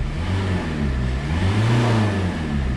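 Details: Renault Megane 2 1.5 dCi diesel with a power loss and a loud unidentified noise, turbo questioned: deep droning roar rising and falling with throttle during a rev; abnormal noise when revving, cause unknown.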